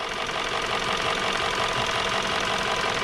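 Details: 2017 Hyundai Sonata idling with an uneven, stumbling misfire on cylinder 3 (code P0303); swapping coils showed they were fine, and swapping plugs moved the misfire to cylinder 2, so the #3 spark plug was bad.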